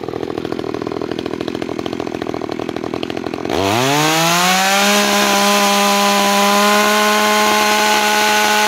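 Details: New Makita EA3200S chainsaw during first start and break-in: rapid ticking idle, then sharp rev to a steady high whine without surging or dropping out; healthy.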